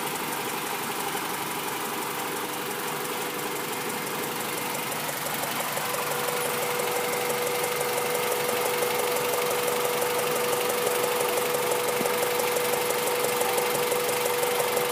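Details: Honda B16 engine at idle after sitting a month, started only every other week: a light, regular tick about three per second; owner suspects a ticking valve or a misfire.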